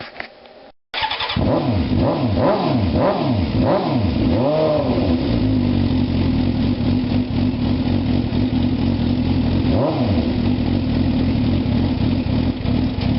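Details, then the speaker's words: 2004 Suzuki GSX-R 600 after new battery install, cold day: catches at once, rises and falls through quick clean revs, then settles to steady idle; healthy cold start. "sounding good it's a little cold today so let it warm up and uh take it out for our nice ride very happy guys"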